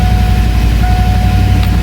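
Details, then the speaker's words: Fox Body Mustang on jack stands after upgrading to a high-torque mini starter rewired the Ford way: engine fires and runs with an even, low rumble, no grinding or lingering starter whine after it catches; starter not hanging, disengages normally. "sweet she blows okay"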